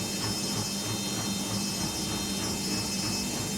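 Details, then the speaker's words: Over-20-year-old Beko washing machine after motor repair and magnet replacement, spin cycle (previously tractor-like noise on spin): steady, even whir with light brush rustle, no knocks or scraping, slightly loud but fine; normal spin. "ми вмикаємо її на віджим і дивимось як вона буде працювати на віджимі зараз почне обертати і ми почуємо як працюють"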